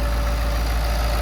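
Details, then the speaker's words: Early Ford 6.7 PowerStroke diesel after installing an OEM part and a Titan tank, no check engine light, idling outside: a deep, even rumble with a faint steady whistle, no knocks or misses; healthy idle. "Sounds a lot different. That is a factory setup right there. Right on. Sounds good."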